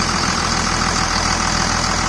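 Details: 2000 Dodge Ram 2nd-gen Cummins diesel after bypassing AC compressor pulley with 65" non-AC serpentine belt: loud, even steady idle clatter, no squeal or belt chirp; tensioner steady, normal diesel idle.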